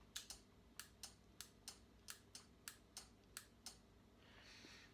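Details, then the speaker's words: Moto Guzzi Griso with intermittent starting despite new starter motor and battery: pressing starter gives about three sharp light clicks a second, no cranking; only the small starter relay clicks, solenoid not engaging (control wire disconnected). "some people talk about a quiet click I don't know whether maybe you can hear that when I when I press the starter you'll just hear the starter relay clicking so it's only a small relay"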